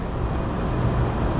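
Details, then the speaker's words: Blower motor on a large Trane unit during a condenser motor replacement, ramping up at about 17 to 25 Hz. A low, steady rumble with an even, building hum and no knocks or scraping. Normal blower startup. "oh that's the blower blower motor starting to ramp up so 17 Hertz 25 Hertz"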